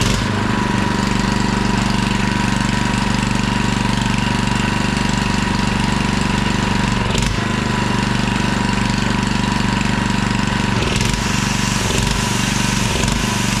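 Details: $20 auction generator, rope-started, running: even steady hum holding speed with only brief dips as load comes on; runs nicely and healthy; pull start and carburettor kit still to be ordered.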